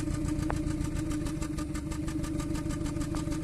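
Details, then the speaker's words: 2014 Kia Cerato at idle with injector 3 cut by actuation test while cylinder 1 already misfires: uneven idle with irregular stumble, two cylinders not firing (3 and 1); cylinder 1 is the faulty one. "الثالث والأول تفتفتين، يعني السلندر الثالث والأول."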